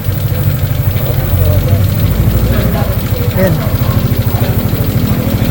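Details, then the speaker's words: Sniper 155 (Black Raven), idling: uneven rapid ticking knock about three per second over low engine note; camshaft lobes worn and small cam bearing inside rough and loose, the main source of noise. "Bingot na yung cams niya mga bossing. Ito yan oh. Tapos ang pinakamalala sira din yung cberberry magaspang. Tapos ito talaga yung major na tumutunog sa atin."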